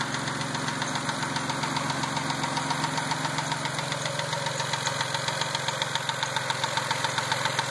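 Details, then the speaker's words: Mazda after a dealer lifter job, at idle: sharp, even tick about 3.7 per second over steady idle hum, louder once warmed up and absent before the job; source unknown. "That's what it sounds like after I got the car back from the Mazda dealer. Once it warms up, it gets louder. It wasn't like that before."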